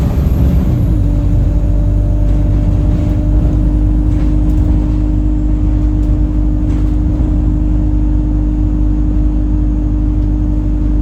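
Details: Chaserider 497 (YX67 UYA), Alexander Dennis Enviro 200 E20D diesel bus, felt sluggish: a strong, steady horn-like drone holds one pitch over the rumble while moving, following an earlier whistle. Owner suspects the gearbox, as it was much louder towards the front.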